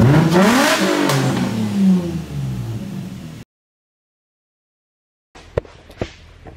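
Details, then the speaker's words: Nissan VQ engine in a drift project car, revved a few times: it climbs and falls cleanly with no knock or rattle. It starts and runs great and sounds healthy. "So, Spoiler alert, it's a VQ. oh, hey, can you connect the terminals for me, please? My VQ starts and runs great. Our steering works. It sounds amazing."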